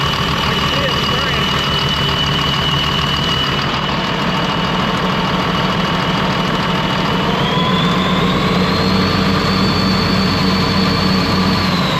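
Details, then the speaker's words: Ex-US Army Cat D6R bulldozer, 822 hours, first start after sitting inoperative: lumpy, uneven diesel beat with a rising whine; running on five cylinders, one injector not clicking well, misfiring cylinder; new injectors ordered. "Yeah, it's only run on 5 cylinders right now, so that injector is not clicking very good."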